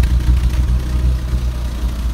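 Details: BMW Bavaria at idle: low lumpy idle with uneven pulse and wavering level, not settling smoothly; vacuum leak suspected, not confirmed.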